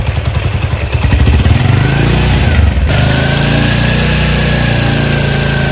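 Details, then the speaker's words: Chinese Honda CD70-type motorcycle engine idling without throttle, oil pump checked working: small single thumps along steadily with a faint light tick from slightly loose tappets; otherwise healthy, normal idle. "और जो साउंड है इंजन का वो भी अच्छा साउंड है, क्योंकि China bike है और हल्के हल्के जो टैपट हैं वो लूज़ है, उनकी आवाज़ है टिक टिक की। बाकी माशाल्लाह अल्हम्दुलिल्लाह बिल्कुल गड्डी साउंड है, बाइक का जो साउंड है वो अच्छा साउंड है।"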